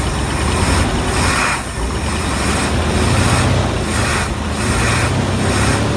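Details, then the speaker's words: IH 4x4 Loadstar, an old fire truck with a carburettor, just started: it lit right away and settles to a steady, quiet low-rumbling idle with gentle swells and no knocks or ticks; no flooding, needle and seat working; normal idle. "Motor is quiet. Let me look down in the carburetor. Make sure we're not flooding out or anything like that."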